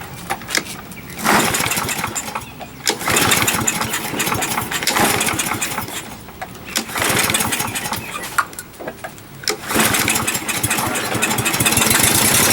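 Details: Used 21-inch Murray push mower with its air filter missing, pull-started: catches in short ragged bursts, coughs and dies back each time. Owner suspects a dirty carburetor needing cleaning.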